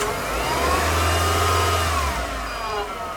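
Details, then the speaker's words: Mitsubishi Shogun Pinin (Pajero iO) unused about three years, started with a booster pack after fuelling: engine catches, revs briefly, then settles to a steady, even idle with no misses or knocks; runs fine. "Okay, so that was a bit unexpected. It's running fine."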